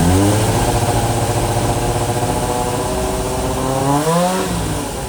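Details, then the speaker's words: Suzuki GSX600F Katana four-cylinder with rebuilt carbs set 4 turns out, aftermarket exhaust and a freer-flowing air filter, after earlier racing at idle and overcharging: steady, even idle with a brief rev rise. Normal idle, allowing an initial carb sync. "A bit more fiddling, and I finally got it to idle at a speed that allowed me to do an initial sync and also check the battery recharge rate."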